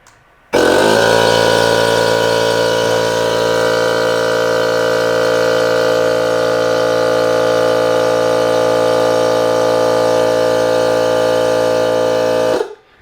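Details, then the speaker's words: DeWalt DCC2560 FlexVolt 60V 2.5-gallon cordless air compressor filling its tank; loud steady high-pitched pump drone about twelve seconds, extremely loud even through noise-cancelling headphones; running normally, just very noisy. "i have to say this is super super loud like even with my noise-canceling headphone it's still really really loud"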